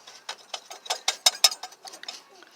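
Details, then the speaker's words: Ford 460 with failed AC compressor clutch, overheated and discolored: gritty metallic grinding, scraping and clicking in uneven bursts as the clutch pulley is turned by hand; compressor earlier whined, clutch failure made belt whine; tensioner likely worn too. "I don't know if you can hear that grinding or not, but this is what happened right here."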